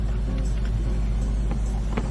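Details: Infiniti QX70 after dealer goodwill radiator replacement following a radiator leak and engine overheat: smooth, steady low idle rumble with no misses, knocks or squeals and no engine light; sounds settled and healthy.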